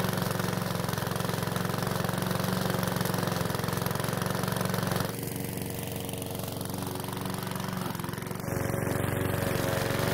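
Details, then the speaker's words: PowerSmart mower's single-cylinder engine, refilled with fresh fuel after a hard no-start, holds a steady even beat with a brief dip in load midway. It was slow to start but runs normally; oil in the muffler burned off as the exhaust heated. "So, it was a bit of a slow start, but it finally started and seemed to run okay."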